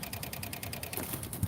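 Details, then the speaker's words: 2006 PT Cruiser no-crank: with a test light back-probing the red and dark blue wires at the starter relay above the strut mount, the relay chatters rapidly with no cranking; the PCM is commanding it outside the crank position. "Now you guys might be able to hear it clicking away."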